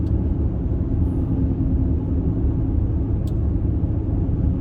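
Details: 2014 Mercedes-Benz GL350 (X166) with about 93,000 miles, cabin at cruising speed: steady deep roar with faint hum on top; tires unevenly worn (left rear inside worst) and wrong size, owner unsure if tire or wheel bearing noise.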